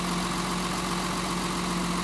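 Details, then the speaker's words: Mercedes 280 SE petrol six, long stored and previously misfiring, idling smoothly after spark plug work: steady low hum, no burble from the tailpipe; normal idle before cylinders are checked one by one. "can hear it in the exhaust you don't get that verbling sound back there in the tailpipe like we were before"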